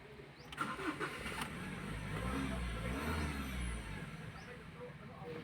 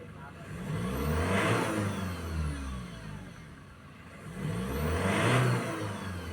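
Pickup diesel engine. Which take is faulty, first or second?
first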